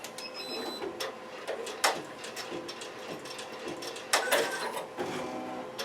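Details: Avancé 1501C 15-needle single-head professional embroidery machine sewing, at 650 then 850 stitches per minute. Quick, light, regular needle-drive clicking, no grinding or knocking; a well-oiled machine running smoothly.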